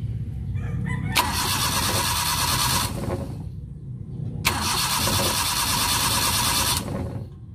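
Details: Suzuki Multicab F6A 12-valve engine won't start: two cranking bursts of about two seconds each with the starter turning evenly via a remote starter, but the engine never catches; crank no start.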